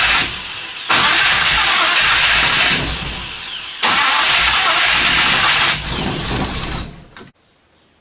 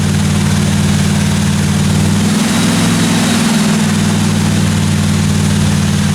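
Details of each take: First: 1957 Chevy 210 project, rebuilt engine with carburetor accelerator pump squirting fuel and firing order checked: starter churns several seconds, never fires; crank no start from weak spark through cheap eBay plug wires, fixed by swapping wires. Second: 1957 Chevy 210 project car, carbureted engine during roughly 20-minute cam break-in run: steady, even low rumble with smooth unbroken beat, no ticking, knocking or other weird noises from the valve train; normal running.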